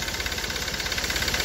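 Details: Hyundai i20 at idle with a sharp, fast tak-tak knock about fifteen per second, plus heavy black smoke and low pickup; cause unconfirmed: engine knocking at idle.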